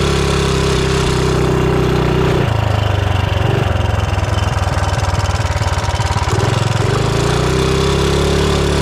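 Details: 420cc big-block single-cylinder engine swapped into a Mega Moto minibike, idling and revving: light fast ticking over the exhaust beat, pointing to excessive valve lash.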